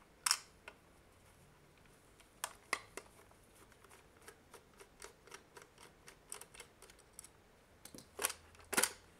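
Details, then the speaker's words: Nintendo Switch Joy-Con and Pro Controller charging dock, handled during unboxing: irregular clicks and clatter from a loose piece rattling inside the housing; teardown suggests the rattle is likely a loose internal peg. "I remember watching another video of someone doing, well, doing an unboxing of first impression, and it wasn't rattling like that. That sound has me somewhat concerned."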